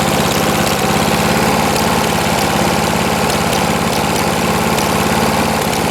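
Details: 1989 Lawn-Boy S21ZPN push mower refitted with a 4.5 hp Tecumseh Eager 1 engine, from cold start, about half throttle: single-cylinder chugging, even and unbroken, no misses or knocks; healthy running.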